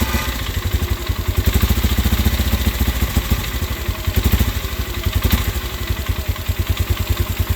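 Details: 2004 Polaris Sportsman 400, cold start on choke, owner suspects pressure-wash water got into carburetor: single-cylinder idle thumping about four times a second with loose metallic clatter on each beat; source not yet found.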